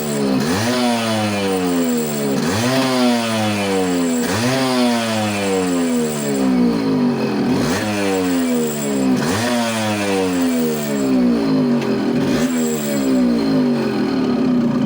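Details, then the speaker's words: Yamaha RXZ two-stroke, after fitting new magnet and magnet coil (previously starting and pickup problems): crisp revs climb and fall in repeated blips about every two seconds, catching cleanly each time; engine runs healthy. "तो अब start भी अच्छी सही तरीके से हो रही है, प्रॉपर स्टार्ट हो रही है।"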